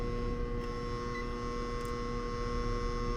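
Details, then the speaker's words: Apartment AC condenser with compressor and fan straining: heavy, steady mains-pitched hum with no healthy running note; single phasing, with 120 V on one supply leg and nothing on the other. "either way though it doesn't sound good at all compressor struggling everything's struggling"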